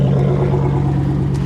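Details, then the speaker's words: Salvage-auction V8 car at Copart listed as non-runner, with a burnt-titanium-look exhaust: deep, even rumble with steady low drone and no knocks or misses; normal revving. "mr savage mad props man mad props because that thing sounds right"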